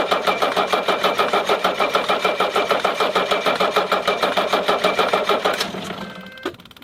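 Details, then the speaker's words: 1981 Mercedes-Benz 300SD, OM617 turbo diesel with rebuilt turbo, new EGR valve and an overhauled injection pump: even cranking, about three pulses a second, for nearly six seconds without the engine even coughing; cranks, won't start, cause unknown. "Alors comme vous avez vu, donc voilà, hein, donc il ne démarre absolument pas. Pourquoi? Je sais pas, hein, je sais vraiment pas."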